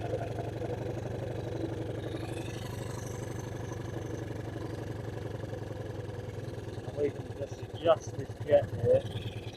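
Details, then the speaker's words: Suzuki LT160 quad bike sitting 3 years, no air filter fitted, after tightening a loose carburetor fitting: quick, even putter at a low steady idle with no hunting or surging; smooth normal idle. "that sounds good you know why this camera isn't posted sorry guys that actually sounds really really smooth"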